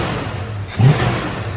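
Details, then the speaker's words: 1968 Dodge Dart with a 360 V8 and 727 transmission, after setting timing (20° base, 16° curve), retuning the mixture (an extra quarter turn out) and lowering idle speed: one quick rev blip that picks up cleanly and drops back without stumbling; peppy, healthy throttle response. "that is peppy I dropped the idle speed and it wanted an extra quarter turnout on the mixtures"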